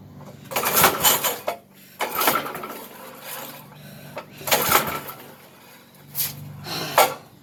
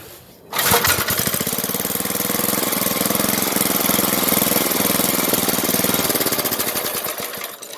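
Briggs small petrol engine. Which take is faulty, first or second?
first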